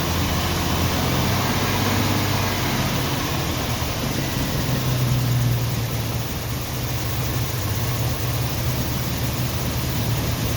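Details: 1990 Jeep Wrangler carbureted engine idling in neutral, still being tuned; lumpy idle with irregular stumbles about three per second under a low rumble, shaking hard and then stalling; owner thinks it is missing, cause not confirmed.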